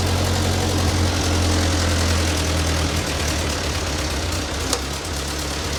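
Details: Ford 9N tractor that sat 10-15 years, just after the fuel system was redone (carburetor float had been stuck closed): steady low four-cylinder idle, even beat, no misses or knocks. Runs smoothly, though heat is building and the upper radiator hose is bad.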